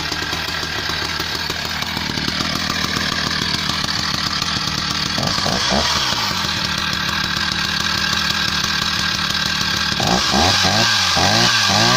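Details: Husqvarna 480 CD chainsaw, first tank after full rebuild with new OEM piston and cylinder, breaking in: steady two-stroke rattle at idle, clean quick rev-ups, strong pull under cut, no bogging; normal running.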